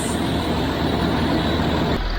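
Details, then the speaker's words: Land Rover Discovery 3 cold start after swapping a low-pressure aftermarket FAI oil pump for a new OEM Ford pump. Oil pressure built in about 4.5 seconds, versus 6 seconds on cold mornings with the old pump. It settles to a steady, even idle with no rattling: normal start. "so what is really impressive is that it build pressure quicker than it actually does in the morning with the old thumb it took six seconds"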